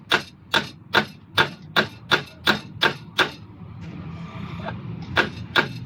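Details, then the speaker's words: Toyota common rail diesel injector (D4D/Denso) on a test rig: sharp, even clicks about two and a half per second but no spray; blocked by oily deposits from the diesel, to be cleaned with WD-40. "एक इंजेक्टर बिल्कुल सही स्प्रे मार रहे हैं आपने शायद देखो एक भी नहीं मार रहा है एक तो मार रहा था उधर"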